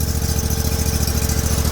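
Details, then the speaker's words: Sears Suburban 20HP Briggs V-twin after new spark plugs: starts immediately and idles with quick, evenly spaced exhaust pulses on both cylinders; normal idle, fouled plug believed to have caused the earlier issues. "took off immediately that sounds way better she's running on two that is so far just normal exhaust"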